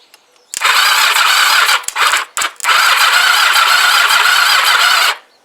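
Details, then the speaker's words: Kawasaki GPZ500S rebuilt engine after a stator change: steady fast starter whir with a whine, never catches; cause unknown. "I'm sure these feel a bit on the loose side let me just tighten that a bit try again no spark right um no idea why"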